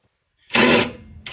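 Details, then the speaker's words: Impact driver grinding in two short harsh bursts with no solid hammering while removing 2015 Camaro SS rear cradle bushing bolts; socket not seated flush on the bolt, drill held crooked, skipping on the head. "Do you hear that how it's grinding? >> Uh-huh. >> You aren't on the bolt all the way. Make sure you get on the bolt flush."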